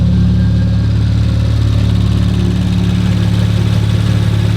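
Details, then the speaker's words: Rebuilt 2019 Audi RS5 warming up, no muffler, earlier smoke burned off: loud, deep, even idle with steady low rumble, no misses or knocks; normal idle. "this sounds hecka good with no muffler it's not smoking no i think it just burned off whatever there was sounds sick"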